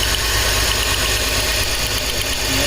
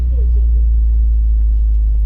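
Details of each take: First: 2004 BMW X3 3.0L six with cylinder 1 misfire codes (P0301), cylinder 1 coil pack pulled as a test: uneven, lumpy, hissy stumbling idle with one dead cylinder; misfire from disconnected ignition coil. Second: 2004 BMW X3 3.0L six after replacing the faulty ignition coil that caused the cylinder 1 misfire (P0301): deep, steady idle with no stumbles or dropped beats, running really smooth; normal idle after repair.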